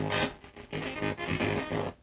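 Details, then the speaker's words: Raspberry Pi audio setup, PCM5102A DAC into TPA3116D2 amplifier at zero volume: harsh crackling distorted bursts from the speaker as the DAC signal overdrives the amp; digital potentiometer miswired, to be rewired. "also it's kind of an annoying sound honestly it would be super it would be a bummer if you bought an amplifier and turned the volume all the way down and that's the sound that came"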